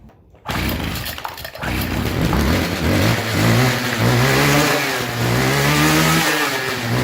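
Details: Old two-stroke weed trimmer that wasn't drawing fuel through its line: it runs but won't settle, revs hunting unevenly as if fuel-starved. Owner suspects a dirty or bad carburetor diaphragm, which was then replaced.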